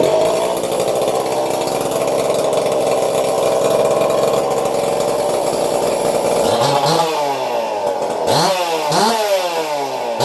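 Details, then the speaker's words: Two-stroke saw after porting (intake port widened, intake flow and duration changed), carb screws untouched, running a muffler: fast busy idle with quick rev blips; idling higher than before, carburetor needs retuning. "Sounds like she's idling higher than she did before. I'll have to definitely retune that carburetor."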